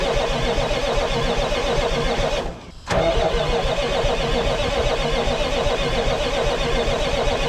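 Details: 1980s Marmon cabover semi with Big Cam Cummins diesel, unrun about 18 years: heavy clatter running steadily, brief dip and catch, then solid even run; oil pressure only about 15 psi.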